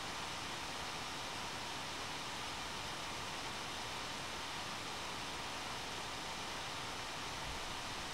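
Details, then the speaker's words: One Mix 2S Yoga mini laptop under Prime95 CPU load, microphone near the fan: constant smooth airy rush, no ticking or rattle; fan at full speed, normal under heavy load. "and that's about as loud as it gets and I'm gonna just move the microphone a little bit so that you can hear it's not quite as loud when it's in front"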